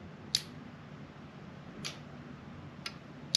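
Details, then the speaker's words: Trimmed-down 1997 Subaru Legacy wiring harness and ECU for VW conversion, bench test with ignition on: four crisp irregular relay clicks, showing the fuel pump relay is working normally. "you can hear the relay is clicking right here that means that our fuel pump is working"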